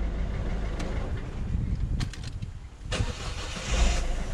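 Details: 1.6 HDi diesel whose starter fuse was tripping at each start: the engine catches quickly and settles into a steady, even idle. The injection pump at the camshaft end is leaking and awaiting new seals. Normal start and idle.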